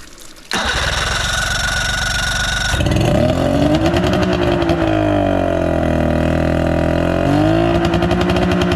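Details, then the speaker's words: 59ci three-cylinder Mercury two-stroke outboard at first start on hose water. It cranks, catches and revs up and back down cleanly; it runs and has compression. Normal running after first start. "It runs. It runs. It has compression. That's a good enough start for me, I guess."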